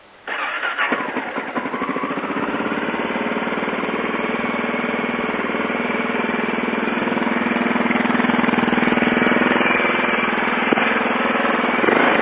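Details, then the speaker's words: 2006 Honda XR650L single after installing the IMS Baja smog-removal kit, first start after reassembly. Fires at once and settles into an even, steady thump, picking up cleanly with light throttle. Normal start and idle. "Alright, as you can see, everything is back together again, and we'll fire it up and see if I did it right."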